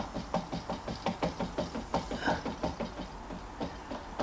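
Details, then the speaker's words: Pinnacle bicycle with a collapsed bottom bracket, cranks turned by hand: gritty, grumbling pulses about three times a second. Both bottom bracket bearings are worn out, one side worse than the other. "that's absolutely moded it's usually this side that goes first but that side's gone as well but this side is definitely worse"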